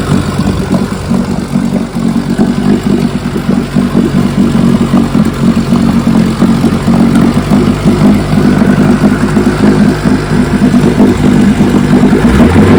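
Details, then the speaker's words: 1957 Johnson 15 HP outboard (FD-10) first run in 60+ years after magneto, carburetor and lower unit rebuild: steady crackling two-stroke beat at a fast idle, even firing, no misses or knocks; running healthy. "yes sir she's a beauty"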